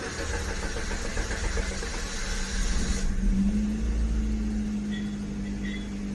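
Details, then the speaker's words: Maruti Swift Dzire petrol (2014–2017 model), cold morning start: starter cranks about three seconds at roughly four beats a second before catching; long cold crank blamed on faulty injectors; starts fine once warm. "ഒരു ഷിവിഫ്റ്റ് desire petrol car ആണ് ഇത് നമ്മൾ രാവിലെ start ചെയ്യുമ്പോൾ ഒത്തിരി lag ആയി delay ആയി start ആകുന്നുണ്ട് ലോങ്ങ് റാങ്ക് അടിച്ചാണ് സ്റ്റാർട്ട് ആകുന്നത്"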